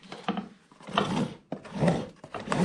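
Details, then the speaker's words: Troy-Bilt TB360 self-propelled mower, sat about 4 years with jammed drive and destroyed belt: rough rasping bursts with each shove as the rear wheels turn the drive gears instead of freewheeling; hard to push. "in there it's turning that gear and everything and it's I'm having to put some pressure on it so you can't just push this thing"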